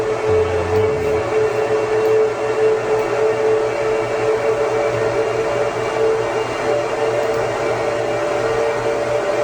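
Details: 2009 Apple Xserve with dual E5520 2.26GHz quad-core processors under a stress test: a dense, steady blower roar with a hum on top as the fans ramp up to about 5000–6000 rpm under heavy processor load, CPU around 29°C.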